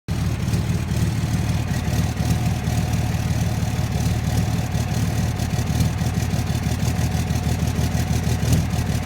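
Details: 2006 Dodge Cummins diesel at idle: uneven, lumpy clatter about three beats a second instead of a smooth run; owner suspects bad injectors; rough idle.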